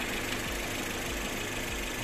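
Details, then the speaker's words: 2007 Suzuki Swift GLX after its first accident, parked with engine running: steady idle with a dull low thump about every 0.6 seconds; owner suspects damaged bodywork rubbing at the front, unconfirmed until the body is replaced. "e bruit il ya quelque chose qui fait du bruit en tout cas qu'elle avance"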